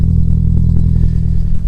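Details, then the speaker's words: Stolen-recovered Audi A3 built as an S3 replica, cold start, turbo suspected gone but little smoke: cold idle with deep heavy rumble and a faint irregular clatter; unidentified engine noise at idle. "it seems to be running with a funny noise in the engine i'm not sure what that is so if you guys can hear anything"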